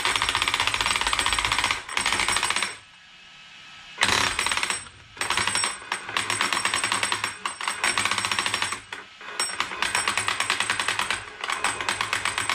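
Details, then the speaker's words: Arrma Kraton 8S under throttle: harsh, rapid stuttering buzz cutting in and out with power dropping; gears are fine, and the owner suspects the brushless motor came apart inside; cogging from a suspected damaged motor sensor. "that is weird i have a feeling it's inside the motor like rc guy was saying"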